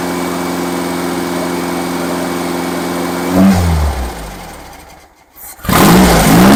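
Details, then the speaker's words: Freshly rebuilt engine during break-in, after fixing a backwards-connected fuel pump and reconnecting the vacuum advance line: steady low idle with even pulses, then a throttle blip that sags and surges back; idle slightly unsettled, owner dislikes the idle. "I definitely had the fuel pump hooked up backwards so that much is solved starter battery ordeal something entirely different"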